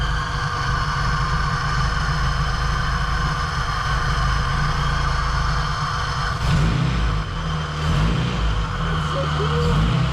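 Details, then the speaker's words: Honda Civic EG with new Skunk2 Pro-series intake manifold and 70mm Alpha-series throttle body, no air intake fitted: smooth, even idle around 800 rpm with loud hiss of air sucked through open throttle body; normal. "so of course the throttle body is a bit loud there's no intake on it so you can hear it sucking in air look at that idling around 800 there"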